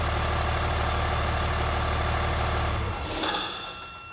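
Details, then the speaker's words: Volvo Penta D6 marine diesel with high-pressure pump MPROP fuel metering valve unplugged to simulate failure: running hard, then a short hiss near three seconds as the fuel rail pressure relief valve pops off. "okay so you definitely can hear that change when it pops off at idle"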